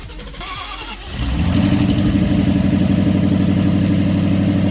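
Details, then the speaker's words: Salvage-auction 2016 Ford Mustang GT V8 after replacing broken engine mounts, run only about 20 seconds with no radiator fitted: starter whirs, engine catches in about a second and settles into a strong, steady rumble; starts and idles healthy. "nice that's great okay so we turn it on for like 20 seconds cuz it doesn't have a radiator but it turns on idles nice"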